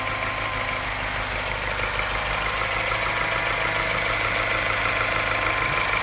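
At low idle a light tap repeats about three times a second with a slightly uneven beat, hinting at a misfire of unclear cause.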